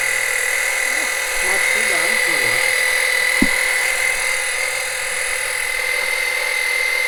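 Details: Small electric extractor pump sucking engine oil through the dipstick tube for an oil change on a 2007 Monterey 214FS with a MerCruiser 5.0 MPI. It gives a loud, steady high whine with a hissy buzz, gets a little hot and is slow; normal pump running.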